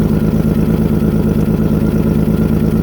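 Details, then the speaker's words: 1997 Toyota 4Runner SR5 V6, 210K miles, blown head gasket, started in very cold weather: steady idle with a sharp ticking puff on every firing pulse; exhaust leaking from the open oxygen sensor port where the sensor hangs loose. "So the exhaust is just leaking right out of the hole where the oxygen sensor goes."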